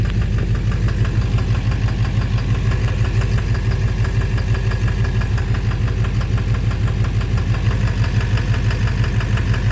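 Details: 2009 Silverado 3500 Duramax LMM diesel, 59,900 miles, idling in snow: a heavy regular knock about twice a second over a low rumble, possibly bottom end; oil analysis clean; owner suspects injector, flexplate or pulley.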